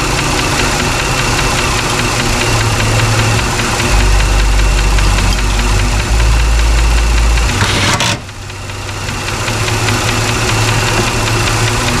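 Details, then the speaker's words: Chrysler 300 after PCM replacement for misfire: idling engine with quick even tick about four per second over the hum; owner suspects a tick somewhere in the valve train, possibly lifter or oiling-related, unconfirmed. "Lifter tick. Or not lifter, kind of, I don't know. Got a tick in the valve train somewhere."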